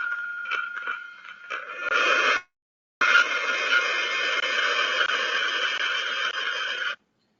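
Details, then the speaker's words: Hydraulic pump cavitating, recorded with ultrasound off the inlet suction tube to the pump: dense crackling hiss with steady hum, briefly cutting out; loud enough to hear directly unless in a noisy plant area. "know if you've got a pump that's cavitating you can pretty much hear it it's it's pretty loud however if it is in a noisy part of the plant or something you may not hear it directly"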